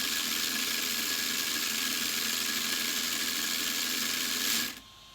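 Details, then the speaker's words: Sweet Tooth RC truck, new motor installed: high harsh whirring buzz with gritty edge, then cuts off; the old pinion with the 72-tooth gear ground and didn't mesh well, replaced by a 21-tooth pinion. "this gear right here has a 72th gear and when it was in the car when i was in and it was just grinding it wasn't making a good contact and it it was not exactly that good"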